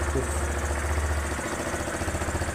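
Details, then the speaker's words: 2006 Yamaha Fazer 250 at 141,000 km, engine fully rebuilt about 20,400 km ago, idling with the air filter cover off: steady single-cylinder thump with a hollow hissing pulse from the air filter and intake. Refitting the cover reduces the noise. "O barulho que tá ali, esse barulho é do filtro de ar lá, ó. Tá chiado ali, ó."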